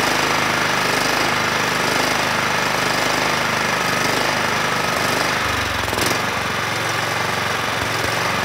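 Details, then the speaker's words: 2004 John Deere L110 hydrostatic mower, Kohler Command 17.5 hp, about 565 hours, running with blade disengaged while moved forward and back; rough uneven clatter over a busy single-cylinder idle from a melted idler pulley. "with it running I moved it forward and back but I could hear that um clatter on the that pulley that's melted"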